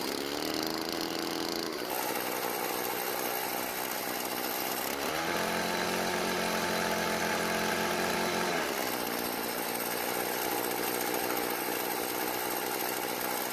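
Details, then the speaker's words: Stihl FS36 trimmer, after the L screw idle adjustment: a steady buzz, pitch rising and settling back with throttle, no stumbling or dying. Runs, though it won't rev fully even after adjusting the H screw; a muffler blockage or throttle cable issue is suspected. "so it starts and runs after a slight adjustment"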